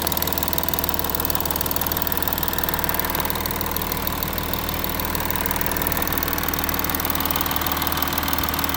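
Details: Audi A6 4G idling after passenger-side exhaust camshaft replacement: settled idle with only usual light quick ticking underneath, no clicking standing out; former knocking is gone, engine sounds healthy.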